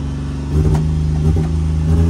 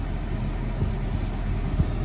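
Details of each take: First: Copart auction manual-clutch vehicle with real-time four-wheel drive, started without pressing the clutch: catches after a few quick chugs, then a steady, fast, buzzy idle; idling high. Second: Copart auction car with low miles and working windows, idling with the AC switched on: steady low idle hum with no knocks or squeals while the compressor runs; smooth, normal idle.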